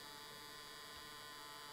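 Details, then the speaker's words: ZK-PW500 500W DC boost converter at 24V input, 48V output: a steady high-pitched harsh buzz that grows as the load rises from 4 to 8 amps. Heavy-load inductor buzz; the unit reaches about 130° on the thermal camera. "więc przy 24 V działa trzy, jak widać, 4 ampery 6 amperów, bardzo brzęczy 6 amperów, brzęczy dużo 8 amperów"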